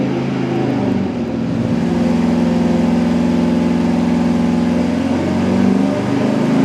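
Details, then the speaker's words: Low-compression Mopar 440 big-block with Thermoquad carburetor on dyno at 41° timing, making 327.7 hp at 4,400 rpm and 457.8 lb-ft at 3,100: deep, steady roar under load, even beat, no knock or misfire; healthy. "Okay, there we go. It approved a little bit with extra timing. We got 41° in it now. It made 327.7 horsepower at 4,400 RPM."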